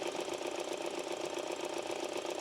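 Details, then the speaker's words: Mini petrol engine at idle, started outside during oil service: fast uneven metallic rattle from engine front; two-piece crank pulley (vibration damper) found worn after removal. "This crank pulley is worn and is causing a rattling noise."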